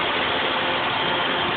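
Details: 2001 Toyota Celica GT at idle: loud, steady, non-pulsing hiss; owner unsure whether it is a vacuum leak or a head gasket leak.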